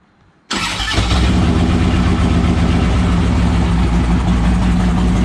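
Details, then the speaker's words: 2007 Harley-Davidson Ultra Classic fitted with a used 103ci V-twin from a 2014 Dyna Street Bob (25k miles) replacing its worn 96ci, freshly tuned OEM ECU, about 30 miles since swap: starts instantly, loud, deep even lumpy idle, no knocks or misses; runs like a top. "let's fire it up real quick it's kind of loud so I'll just fire it up for a second and then I'll rev it out thing runs like a top"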